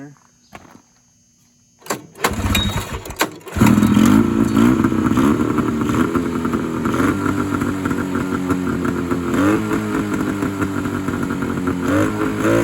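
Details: 1970 or 1971 Polaris Charger 398 snowmobile, sat for years, old fuel cleaned out, mixed gas squirted into the air horns: a few cranking bursts, then catches into buzzy rising-and-falling two-stroke revs; starts and runs.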